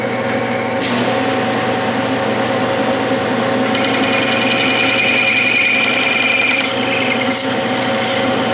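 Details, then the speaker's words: Clausing lathe hand-feeding a cut-off tool through a brass bearing part: steady spindle hum with scraping cut, brief thin squeal near the end as tool wants to grab; normal parting-off cut. "I'm hand feeding this this is this isn't power feed wants to grab this is brass you know you'll hear is squatting we're getting close"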